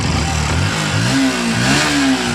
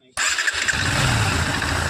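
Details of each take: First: Bajaj Pulsar NS125 BS6 motorcycle with about 14,000 km: light, fast ticking over the engine that quickens as revs rise and fall; owner suspects a loose timing chain, but the finding is loose valve tappets needing adjustment. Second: Bajaj Pulsar NS125 BS6, low mileage (about 14,000), after the timing chain and tappets were set: starts on the starter and settles into an even, quiet idle with no tappet ticking. Normal idle.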